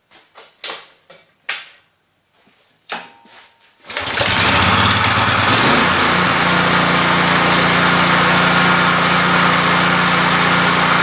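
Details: 48-inch Lesco commercial walk-behind lawn mower, transmission already tested on hills: a few clicks, then the engine catches and settles into a steady, even run with no knocks or misses; normal running.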